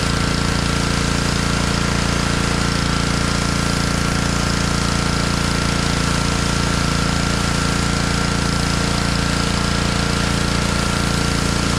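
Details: Honda pressure washer engine that sat all year in a basement, after cleaning a carburetor that had a little water in it: fast, very even single-cylinder chug at constant pitch, no surging or misses; running healthy.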